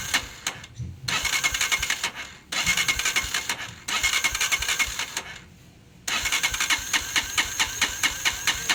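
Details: Honda TMX 125 Alpha motorcycle, hard starting and hiccuping, with loud valve noise: repeated short cranking bursts with pauses, catching only briefly and never settling; suspected valve clearance too loose, tune-up planned.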